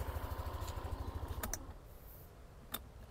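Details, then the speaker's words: Yamaha Lexi LX 155 ABS scooter after about 11 months of use, idling with microphone held near: soft even putter, then handling clicks; smooth normal idle. "Tapi menurut saya dak ini suaranya halus loh Ini motor ciri khasnya Yamaha ya Hmm Oh ini mic-nya saya bawa ini motor halus"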